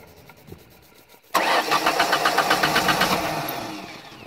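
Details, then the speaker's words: 1991-95 Ford Escort LX, starter tested from the cooling fan relay terminal while back-feeding ignition. Quick even cranking about four beats a second, fading out; starter turns engine normally. "so from this point right here in this relay we can test pant we can test the starter"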